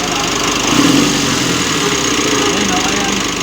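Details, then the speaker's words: Mitsubishi L300 diesel idling with a steady dry whirring rattle from start, even with AC off, louder when revved; belt removed to check pulleys and tensioner, worn belt tensioner pulley suspected. "tatanggalin muna natin yung pang belt no para ma-check natin yung mga pulley niya o kaya yung tensioner Baka sakaling doon nanggagaling yung ingay niya no Kasi pag binirit mo yung makina lumalakas din yung ingay niya"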